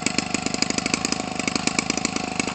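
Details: Homelite 25cc two-stroke converted for RC use, nearly new (about 20 ounces of fuel run through it), swinging an 18.6 propeller. Small two-stroke ticking over at a quick, even patter, steady and crisp with no misses or surging: a normal idle.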